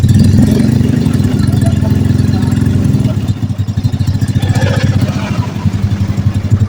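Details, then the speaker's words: Carbureted Honda Blade motorcycle after an engine rebuild, following oil starvation that seized the piston and broke the cam chain; plug reused and loud aftermarket exhaust. Even low idle thump with no top-end ticking or rattle: normal idle. "Oke, suaranya halus ya. Ya, saya juga halus. Jadi tidak berantakan."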